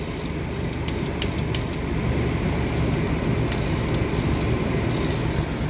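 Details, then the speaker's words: 2004 Nissan idling after new starter motor and airflow sensor fix: steady even low rumble with a few light clicks, no knocking or misfire; PCV valve working, little blow-by, engine idling fine. "Well, she seems to be running fine. Give her a little juice. Happy days."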